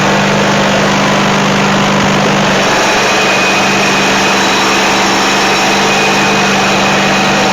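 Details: Dixon zero-turn friction-drive mower after new cones, deck spindle bearings and belts, started with the brake on then released: steady drone, even beat, no stumbles or rattles; throttle response good, though the cones don't turn. Normal running.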